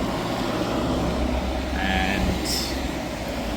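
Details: Hyundai portable AC after leak repair and recharge, with a drain tube added into the tank (a full-tank sensor shuts the compressor off): loud, steady fan rush over a low compressor hum, no rattles or cycling, running normally and cooling well.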